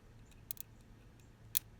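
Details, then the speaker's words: Ford 801 tractor distributor with 12 volts applied, checking spark gap timing: a few sharp snapping clicks over quiet background as the ignition points open and spark; ignition firing normally. "that's the points opening up"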